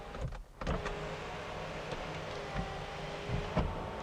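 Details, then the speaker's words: BMW E90 335i checked during a used-car inspection; smooth electric motor hum with light clicks as the sunroof travels; the sunroof works normally. "So sunroof good, and you want to test every window."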